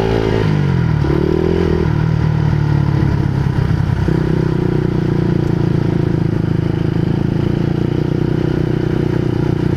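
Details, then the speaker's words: Honda CBR150R with the exhaust silencer baffle insert fallen out while riding: loud, crackly, raw single-cylinder bark rising with revs, much louder than stock; noisy exhaust from missing silencer insert. "Akala ko kung ano yung kumalansing e yung silencer pala nahulog"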